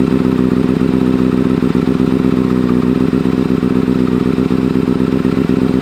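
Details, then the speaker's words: 2009 Kawasaki Ninja ZX-6R after a rebuild with a replaced fuel pump and wiring harness: an even, continuous drone with a steady quick pulse and no knocks or misses. Normal running. "I'm gonna let you hear it because I don't think I ever had a video of it running yet."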